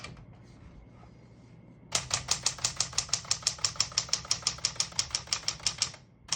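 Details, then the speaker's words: 1961-63 Tower Citation 88 portable manual typewriter, margins set about 0 and 75, single spacing: faint margin bell then crisp, even keystrokes about four a second; working normally. "Once you hear the bell, you're at the end of the margin. You hit the flying space, kicks back to the beginning, it skips 1, 2, or 3."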